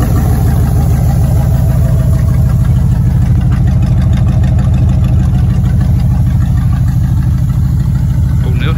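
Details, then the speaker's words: 1960 Buick running with the exhaust and holed muffler cut off, leaving about 12 inches of pipe off each manifold: a deep, loud, blatty rumble pulsing unevenly, sounding like a farm truck or WWII bomber. "i took a grinder and sawzall to it and now i have a 1960 buick that sounds like a farm truck slash world war ii bomber plane when you're going down the road"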